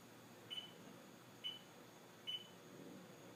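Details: STX15F watercraft (runs hot, won't start): three short high chirps about a second apart with the battery disconnected and ignition off, a warning sign pointing to a bad voltage regulator.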